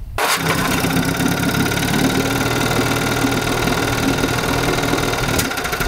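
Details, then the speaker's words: 1952 Johnson Sea Horse 5 hp TN-28 two-cylinder outboard after ignition, pump, gasket and carb work; fires at once to smooth even buzz, changes when one plug disconnected, both cylinders firing. Normal running. "so let's see if it's running on two and yes you can definitely hear a difference when i disconnect one but it continues to run so we know both cylinders are firing"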